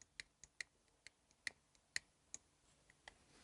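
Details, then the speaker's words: Harley-Davidson Shovelhead rocker arm, engine not running: light, sharp metallic clicks at an uneven pace as the arm shifts on its shaft, where the shaft shoulder protrudes past the bushing; excess rocker arm end play, louder when running. "Now this little click you can hear right now is nothing compared to the click it's going to make while it's running."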